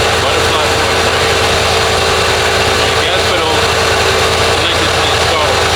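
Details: Lincoln Town Car (OBD1, no code) after idle control valve replacement: steady, smooth hum at a settled low idle around 800 rpm, no hunting, surging or rattles, versus the previous too-high idle near 2000; runs normally.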